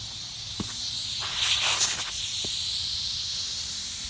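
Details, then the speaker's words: Magna Force air compressor after repairs, unplugged: steady sharp hiss of air escaping with the motor off; tank bleeding down through a leak, later traced to an open fitting. "I think we're gonna make this easy gonna unplugging it and plugging it back in you hear the air bleeding off"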